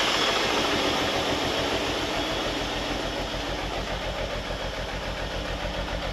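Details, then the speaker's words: Holden Commodore revived after sitting abandoned in a paddock, warming up after fuel was added: lumpy, stumbling idle missing badly on one or more cylinders; owner suspects blocked injectors, not confirmed. "Yeah, you can hear it missing really bad."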